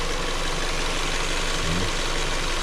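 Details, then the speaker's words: 2015 Ford Escape, 142,000 miles, after fuse replacement fixed a no-crank no-start, idling; low steady hum with no stumbles or misses, owner notes some rattling noises developing; normal idle. "it's running it's actually furring six the engine so yeah I just wanted to give update on here car like I said it's running really good"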